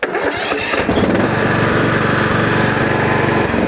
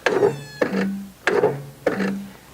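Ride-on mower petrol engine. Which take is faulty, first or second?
second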